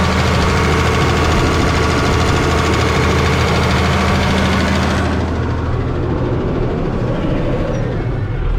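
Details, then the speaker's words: New Holland diesel tractor, warmed up after idling, revved up: busy diesel clatter with a light uneven tick that sharpens with revs; odd vibrating noise noticed at idle the night before; owner suspects valves or possibly a hold-down, cause unconfirmed. "i wrapped it up and it sounds like it's making some ticking noise um i don't know um it just sounds like i don't know maybe it could be a something with the valves"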